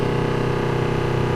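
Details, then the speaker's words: Flojet 40 psi automatic booster pump feeding a carpet-cleaning machine from a water tank, after pressure switch replacement: steady loud motor drone, fixed low hum, no surging, pushing out trapped air; normal running. "Oh, and it shut off. So we know it works."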